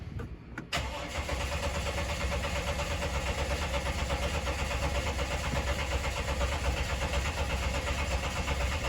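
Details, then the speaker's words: 2012 Dodge Ram 1500, 3.7L V6, no start after it lost power and died: a strong, even, healthy crank with fully charged battery, crank signal and check engine light, but the engine never catches; faulty fuel pump. "right, so as you guys can see, we have a nice, healthy, strong crank. The battery seems to be fully charged."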